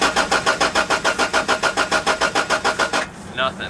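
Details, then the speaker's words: Honda Civic that suddenly wouldn't start: steady cranking at about two turns a second for three seconds, never catching. No fuel pump priming heard; owner suspects the fuel pump but hasn't tested for spark yet. Crank no-start. "I do this I'm listening for like the fuel pump priming and it I don't really hear anything so I'm assuming it's the fuel pump that's bad"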